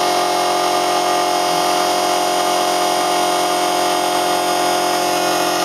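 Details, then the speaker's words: Homemade Muller generator replica at high speed, one generator coil driving a 40 W bulb; steady whine with fast loose chattering, loose pieces rattling, expected quieter once tightened: rattle from loose rotor parts. "it's uh fairly noisy um I've got some loose pieces in here that rattle so this always sounds like it's going to fly apart when I bring it up to speed as I button everything down tighter uh it will get quieter"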